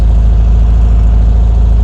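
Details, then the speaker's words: 1957 VW Beetle just started cold after sitting weeks, carburettors with no choke, 50 lbs oil pressure: low lumpy uneven idle, won't idle well until warm; rough cold idle without choke. "it won't idle very good, like I said, cuz it has no chokes."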